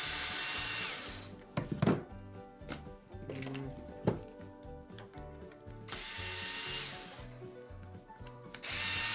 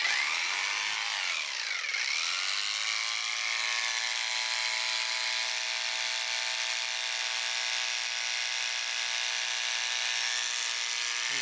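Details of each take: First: Wahl Lister Stablemate livestock clipper, customer complaint of loudness: harsh, loud buzzing rattle in bursts, far too noisy; worn cam bearing and drive gear, to be replaced. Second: Wahl Lister Stablemate livestock clipper after servicing (cam bearing and gear replaced), blade tension backed off five turns, blade not even warm: steady, even high-pitched buzz with no rattle or labouring; runs smoothly and healthy.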